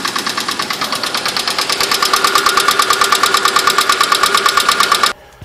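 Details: Idling engine with a steady, rapid, hollow knocking from piston slap.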